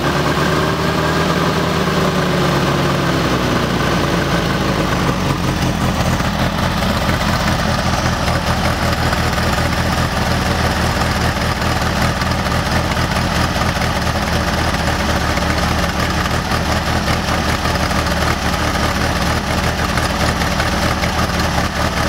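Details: A VW air-cooled 1600 dual-port flat-four idles roughly with irregular pops and stumbles despite a rebuilt Solex 34 PICT 3 carb, new SVDA distributor, cap, rotor, wires and plugs.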